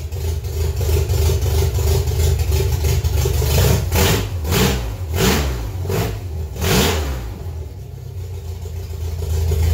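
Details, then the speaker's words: Pinto after sitting almost 20 years, now with a completely new engine, wiring and fuel system, on its first drive: uneven, hunting idle between quick throttle blips; owner suspects the missing mass airflow sensor and oxygen sensor. "um yeah it wasn't idling great i think that's probably because i don't have the mass airflow sensor"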